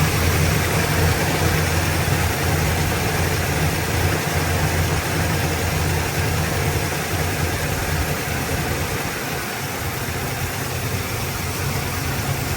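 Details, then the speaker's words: 1972 Chevrolet Nova V8 with Holley carburetor, choke adjusted, mixture leaned and timing added: loud, steady idle with even low rumble and no misses; definitely happier, small fuel pump leak noted. "Definitely happier."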